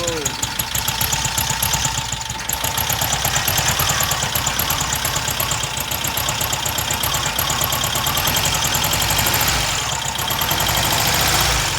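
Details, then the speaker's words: Freshly rebuilt VW Type 1 air-cooled flat-four from a Karmann Ghia, first start after hooking up the coil and priming fuel by cranking, not yet broken in; quick, even patter with no knocks or misses under cheering; normal idle. "it should have fuel primed since you kind of cranked it a bit so hopefully it should start right up right now"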